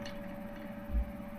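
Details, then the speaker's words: 65-year-old Essex 12 inch fan (September 1960, 38 W, 50 Hz), bearings sprayed with WD40: soft, even hum with faint steady tone, no rattle or squeal; normal quiet running. "fan and that is nice and silent I sprayed a bit of WD40 on the bearings there and they are beautiful"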